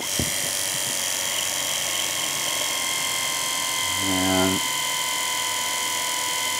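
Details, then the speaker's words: Electric wheelchair motor after cleaning commutator and brushes, run on 24 volts with gearbox engaged: steady, even high-pitched whine with no stutter or scrape; brushed motor spinning smoothly. "that seems to be working a whole lot better uh it really does than what I had previously"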